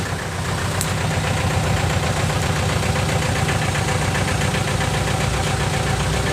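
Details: 1998 VW TDI diesel, nearly 500,000 miles, run on 80% waste vegetable oil, idling, recorded at the tailpipe: uneven stumbling exhaust beat about twice a second with blue smoke; misfire from a stuck piston ring, only at idle.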